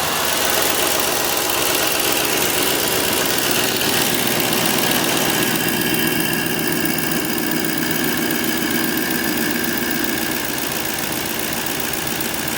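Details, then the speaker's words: 2007 GMC Sierra after a driveway oil pressure sensor replacement: the gauge no longer pegs to 80 at key-on and oil pressure reads normal. Loud, even, steady idle with no knocking or ticking; no leaks seen. "So now let's jump over here. Everything sounds good."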